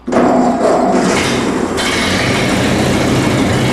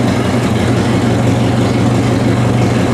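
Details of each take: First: Vintage Ford tractor: engine catches straight away and settles into a steady, even idle with no misses; good idle. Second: Vintage Ford tractor, cleaned carburetor: low, slightly uneven idle with a soft irregular flutter while the idle screw on the side of the carburetor is turned in a little to take the flutter out.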